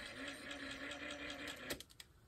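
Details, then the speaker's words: Ford Model A generator bench-tested as a motor under applied drag: steady, even whir with a constant low hum, no stumbling, scraping or slowing; generator healthy, contacts clean. "but sounds pretty good"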